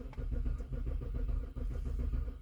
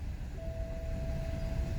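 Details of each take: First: BMW E70 X5 (2007-2009), sat a couple of months with dead battery, key security OK: steady even cranking chugs that never catch; crank no start. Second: BMW E70 X5 (2007-2009) with earlier crank-no-start after battery died from sitting a couple of months: low steady engine rumble with faint constant tone, no misses or stumbles; engine catches and idles evenly once circuit is complete.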